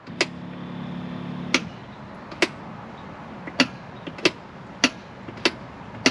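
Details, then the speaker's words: 2001 Ford Explorer with the key switched on: a low, steady fuel pump hum runs about a second and a half, then cuts out, leaving switch clicks, and the pump runs again when knocked; an intermittent pump feed from a loose connection in the tank. "Off. On, off, on. It'll do it. It just seems like there's an electrical connection that's gone bad in the tank."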